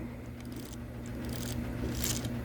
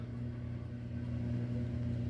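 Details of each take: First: Lionel 226E prewar O gauge steam engine pancake motor after one drop of oil on the dry phenolic armature bushing: small electric motor hums low and even, vibration noise gone. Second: Lionel 226E prewar O gauge steam locomotive "pancake" motor: steady low buzzing hum from a dry phenolic armature bushing, fixed by oiling the bushing.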